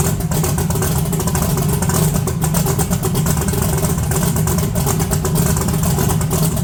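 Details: 1982 S10 with a horrible misfire and very low vacuum; no high idle, so a vacuum leak is ruled out. Oxygenated race-blend fuel is suspected of upsetting the tune, possibly running too rich. Rough, uneven idle with stumbles and puffs, still missing on a cylinder.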